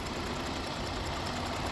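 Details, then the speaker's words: 2018 Dodge Durango SSV, 3.6 L V6 at idle: a little shake but no misfire in any cylinder, running nice and revving well; could use a tune-up. Transmission slips in second gear. Steady, even idle with no misses or knocks. "it has a little Shake but it's not misfiring in any cylinders at all it's running nice"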